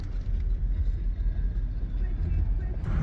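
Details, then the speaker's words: Porsche Panamera S before repair, with cam-crank correlation code, multiple misfires and fuel codes; uneven, lumpy, stumbling idle; rough running from loose timing chain. "this thing has a really bad Idol"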